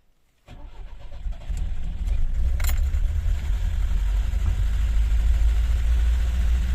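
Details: VAZ 21063 carburetor engine stuck at high idle, not adjustable despite a new accelerator pump diaphragm; quality and quantity screws turned without effect; starts and settles into a deep, steady but too-fast idle.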